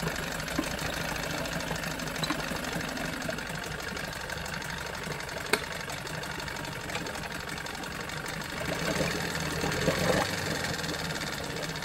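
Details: Johnson 9.9 two-stroke outboard idling in a tank after carb kit rebuild and new plugs: fairly quiet, slightly uneven putter, no knocking or misses, sounds healthy; normal idle.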